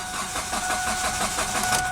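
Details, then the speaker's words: 2007 Kia Spectra, manual, 166,000 miles: the starter spins the engine at an even cranking rhythm but it never fires. There is no spark, no fuel, no check engine light, and a scanner reportedly couldn't communicate; crank, no start. "definitely crank no start and the shop here as you said we check for spark no spark check for fuel no fuel"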